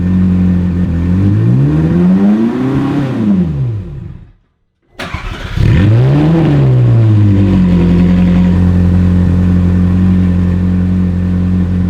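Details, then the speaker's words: Ferrari 458 V8 after an exhaust leak repair and secondary air fix, with MAF sensors suspected faulty and awaiting replacement: the engine cranks, catches, revs twice and settles to a steady idle. No ticking or puffing, so the exhaust sounds sealed. "alrighty let's fire it up and see if we took care of that exhaust leak and got the secondary air working correctly"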